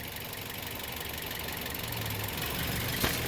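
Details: A Toyota Vios after failed fuel injector No. 3 was replaced, plus new spark plugs, cleaned throttle body, oil, coolant and air filter. It has an even, steady idle rumble without stumble or shake, and the former engine vibration is gone.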